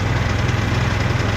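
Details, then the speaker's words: Trail Hog commercial mower single-cylinder engine after full tune-up with new carburetor, spark plug, air filter and fresh non-ethanol fuel: smooth, even idle putter with steady rhythm and no misses; runs normally. "Just listen to that. Runs like a charm."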